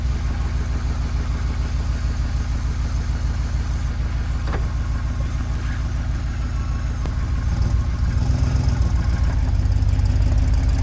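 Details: GMC Yukon XL, 6L80E transmission after replacing shuddering torque converter with billet unit, idling: steady even low rumble, no knocks, slips or surging; driver-side manifold to Y-pipe exhaust gasket noted not fully sealed; healthy idle.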